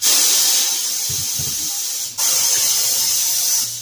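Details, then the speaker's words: Pneumatic tire machine being repaired after it had been blowing air and not working, pedal tested with air on: loud steady air hiss with brief break then resuming; bead breaker cylinder taking air normally. "Hell yeah. Tire machine. Sounds like the tire machine is working. We're back in order."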